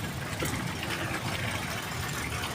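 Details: 2025 Jetour Dashing after a no-start from low battery voltage, running after battery replacement: quiet, steady idle with no misses, knocks or ticks amid outdoor noise; normal idle.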